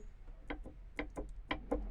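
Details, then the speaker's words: Fiat Tipo front lower control arm, the original part removed from the car, its ball joint rocked by hand. Sharp, dull knocks in pairs about three a second from excessive ball joint play. "Então galera então vocês tinham uma folga absurda nesse pivô aqui ó do tipo"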